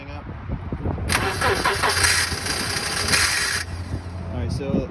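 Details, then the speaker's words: 2009 car with a crank-no-start that sometimes starts then chokes out; spark and fuel are confirmed and the fuel pump was replaced. The starter cranks and it runs ragged briefly, then stalls. A new pipe holding the muffler back is suspected. "sometimes it'll start and then it'll choke itself out. Sometimes it won't even try to start at all."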